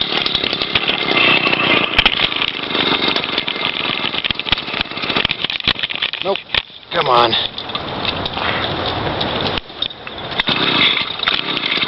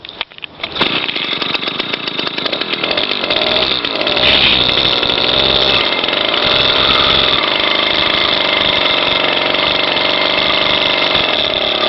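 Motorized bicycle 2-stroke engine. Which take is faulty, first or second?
first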